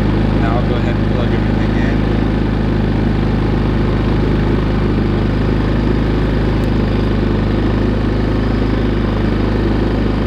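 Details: Harbor Freight Predator 3500 inverter generator, push-button started after sitting a couple of weeks: smooth, even low hum with a steady note, no misses or knocks; healthy running.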